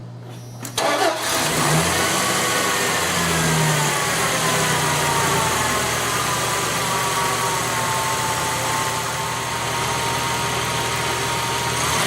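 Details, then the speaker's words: 1996 Dodge Dakota Magnum 3.9L V6 after replacing the defective serpentine belt tensioner: catches on the first crank and settles into a smooth, even idle with a faint steady belt whir; running good again. "hey folks you can see it's running good again"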